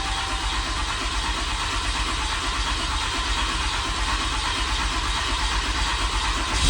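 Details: Ram 5500 diesel, towed from Oklahoma for a failed engine, after major engine repair, started on a jump box with low batteries while watching desired versus actual fuel rail pressure: even diesel clatter, steady low rumble, no knocks or stumbles, smooth healthy idle.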